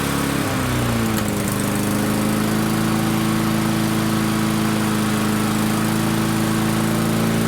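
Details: Barn-find Murray push mower, Briggs & Stratton engine, started on the shop bench after drill cranking: catches, then climbs fast to a high, steady screaming pitch far above normal mower speed. Overspeed from a wrong governor spring.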